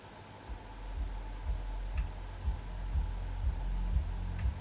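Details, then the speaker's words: JVC KD-W110 double cassette deck running after about twenty hours of use, regular low clicks about twice a second over a faint steady hum; clicking in the mechanism that doesn't seem to affect operation, cause unknown. "can hear clicking but doesn't seem to affect the operation"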